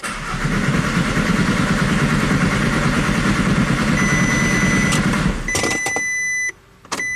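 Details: VW Jetta TDI diesel after an engine swap, with a P0341 cam performance code. The starter cranks at about three turns a second for five seconds and it never fires. Crank no-start.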